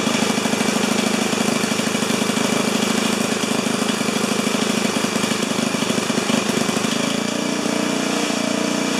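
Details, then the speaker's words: 4HP horizontal Briggs single-cylinder, first start: racing with uneven fast beat and no speed control, then note shifts; overspeed because governor not hooked to throttle arm. "okay for a first fire up i say that was memorable uh i forgot to connect the governor to the throttle arm so that got a little exciting"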